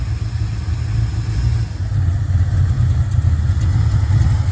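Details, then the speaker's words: Ford Mustang Fox body 5.0 V8, 5-speed, first start after Explorer GT40 intake swap and top-end rebuild: deep, steady, even V8 idle, no miss or stumble, running much better than before; normal idle. "We got our gt40 intake on there. He's running. Very fast throttle response. Running a whole lot better than it did."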